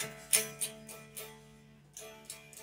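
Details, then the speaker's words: 1993 USA Fender Blues Deluxe tube amp, warmed up with volume on 4 and EQ at middle, new 6L6 power tubes and speaker confirmed okay: guitar comes through thin, very quiet and distorted; low, distorted output. "you probably hear the acoustic part of the guitar bit more than the end but it's just super low output and distorted"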